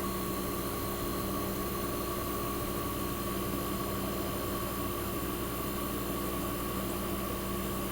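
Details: 1965 Fedders Weather Wheel air conditioner warming up after cold start in a cold shop, condenser fan cut off with only the evaporator fan running, as in a defrost cycle, building head pressure: steady low drone with faint fan hiss; compressor sounds fantastic, normal.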